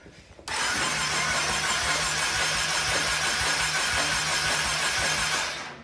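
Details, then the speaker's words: Flooded salvage 2020 Can-Am XMR 850 ATV, 130 miles, cranked without firing to check for water from exhaust: quick even cranking pulses under a steady whirr, spins freely; exhaust pretty dry. "Oh well, give it a few cranks. Let me see if any water comes out of the exhaust."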